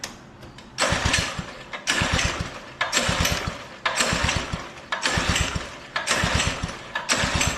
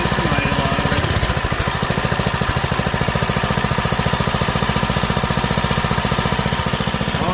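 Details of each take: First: Old Doodle Bug DB30 minibike just after first start on choke with a newly fitted carburettor: the engine surges, rising and falling about once a second instead of holding steady; owner suspects it is too rich and may need carb adjustment. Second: Doodle Bug DB30 minibike after fitting a new carburetor and adjusting the carb screw: busy single-cylinder chatter holding steady at fast idle without stumbling or surging, running way better than before.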